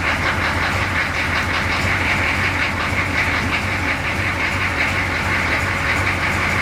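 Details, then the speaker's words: 6.2 diesel Suburban idling just after exhaust repair; loud diesel clatter with a rapid, uneven ticking puff over the idle, as if a small exhaust leak is still hissing somewhere; leak suspected, not confirmed. "Sounds like it might still have a leak somewhere. Anyway, it runs."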